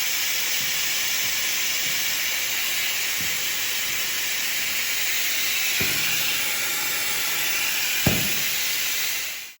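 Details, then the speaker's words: International cabover truck, Detroit Diesel 6-71, transmission splitter air regulator: constant sharp hiss of escaping air, no engine beat; attempted regulator fix made leak worse, air pressure exceeding regulated amount; air leak at splitter regulator, truck stuck in high-range gears. "I certainly didn't fix the regulator I made it leak a lot worse and the air pressure it's going beyond the regulated amount"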